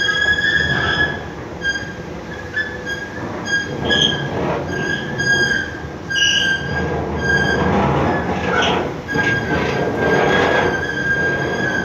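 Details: Fatih bridge metro entrance escalator: high-pitched squeals come and go in steady tones over a rumbling run, suggesting rubbing or dry contact somewhere in the drive. Squealing noise.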